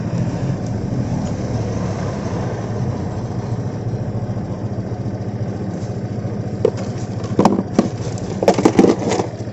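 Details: Honda PCX 150 scooter idling after a dead-battery no-start was fixed: a steady, even low hum with no misfires or stumbles; normal idle.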